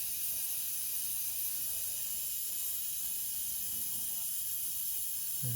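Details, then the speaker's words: Basement, house water main slowly reopened after replacing an outdoor spigot: steady high hiss without pulsing or knocking as lines refill, taking a long time before stopping; normal refill. "at some point, it should stop hissing. There we go. That took a long time, but finally stopped hissing."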